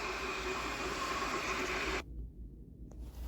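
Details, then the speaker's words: Volkswagen Tiguan HVAC blower, fixed by moving the fan loose again without replacing the resistor or blower, running on the control: an even, steady rush of air with no ticking, scraping or wobble. Normal blower operation. "so right now I'm uh turning on as you can see you can hear it now [Music] there so now it's running by the control the HB"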